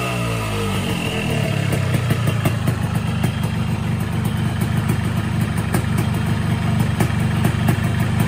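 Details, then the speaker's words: 2007 Yamaha RX King two-stroke motorcycle, unused about 2–4 years, started after refilling fuel and a few kicks, previously repaired; steady crackly idle with busy low burble, no misfires or knocks, running fine; clutch stuck, to be repaired. "kita engkol berapa kali dia langsung hidupan walaupun motor ini sudah 2 tahun tidak hidupkan"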